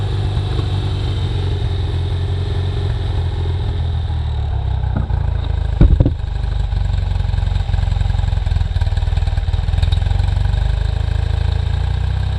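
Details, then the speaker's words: 1973 BMW R75/5 boxer twin, unrun since 2015, with old oil and a suspected fouled spark plug: steady, even low idle with no misses or knocks, running normally. "This thing is running great. Definitely got a problem with the spark plug there. But, you know, nothing a little bit of maintenance won't fix."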